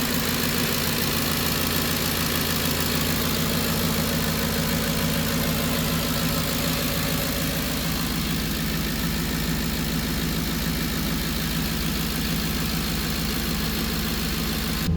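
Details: 2010 Ford Expedition 5.4L Triton V8 with hard cold starts after new spark plugs: steady idle with an added buzzing hum from the driver's side bank over the low rumble; source unidentified.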